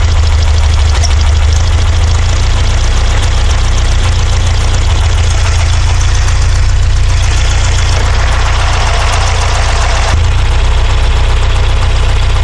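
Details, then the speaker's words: Porsche 912, Dellorto DRLA carburettors, after cleaning a jet: heavy lumpy idle with an uneven low stumbling thump, one cylinder dead; spark seems fine, smells fuel-starved; junk later found in cylinder four idle jet. "I don't see any reason that spark plug she'd not be firing there of fact smells like it's not getting fuel there's something still in that idle circuit"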